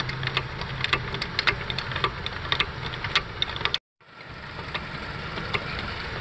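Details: Clicking from a worn outer CV joint on an 8th-gen (2006-2011) Honda Civic, 08 model, heard when turning the steering wheel: sharp, uneven clicks about one or two a second over a quiet engine; fixed by CV axle replacement.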